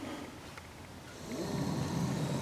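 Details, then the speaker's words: 2013 Nissan Sentra, heater/AC unit just reinstalled, blower started to check it and the vent linkage: even low whoosh of air swelling slightly as the fan reaches speed, no rattles or squeal; blower motor runs fine, not noisy. "entend le moteur. Il fonctionne très bien. Pas bruyant."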